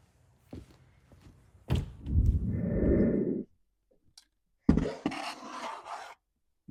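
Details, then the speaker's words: Stihl 034 chainsaw with broken, half-gone fuel line that can't draw from the tank, primed with mixed fuel down the carburetor throat: thunk from the pull, catches roughly a second or two, then dies, starved of supply. "So obviously I can't suck fuel out of the fuel tank. The fuel line is broken and half gone."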